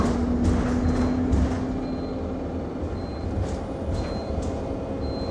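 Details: Go-Ahead London (Blue Triangle) Enviro 200 MMC 10.9m bus SE310 YX69NNP on route 364, recorded on board: short high beeps about once a second repeat steadily over engine and road rumble; continuous warning beeping, cause unknown.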